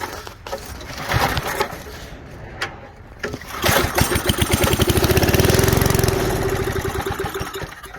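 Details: 1978 Billy Goat Winro leaf blower, 5 hp Briggs points engine found in trash, low old oil, fed starter fluid; uneven pull-cord bursts then a brief sputtering catch that swells and fades out, cranking but failing to keep running.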